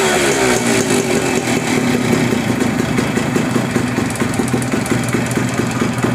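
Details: Suzuki Max 100, 98.2cc air-cooled single-cylinder two-stroke, kick-start, carburettor: catches and settles into a steady, crisp popping idle, even firing, no misses; normal running.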